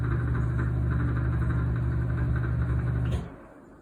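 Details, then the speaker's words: Exhaust fan after part replacement: loud rough droning hum pulsing about four times a second, fan wheel stripped so it slips on the motor shaft. "what i found out even though i slide this on with the notch on the groove this fan is stripped so it's not going one for one turn on the shaft"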